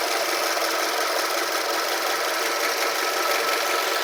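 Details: 2005 Toyota RAV4 idling warm after running 10 minutes: fast, light, uneven ticking rattle over a steady hiss; moving the camera around did not locate the source, cause unknown.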